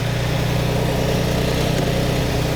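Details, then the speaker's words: Classic Lamborghini, unseen engine started at idle before tuning: deep idle with uneven, lumpy pulse instead of smooth hum; carburettors out of balance, one inlet admitting more air, mixture very rich. "it's it's lumpy it's not happy so I'm going to go around each Inlet and listen"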